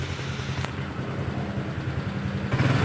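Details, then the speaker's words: Honda Vario scooter that stuttered at low and high rpm with lost power, after fixing and taping the faulty part, throttle test: small single revs up smoothly on each blip, no stutter or hesitation, now responsive. "ini responsif, sedangkan sebelumnya, ketika saya membatasi kecepatannya, tidak ada respons sama sekali. Tapi sekarang ia merespons. Lagi. Tidak ada lagi gagap."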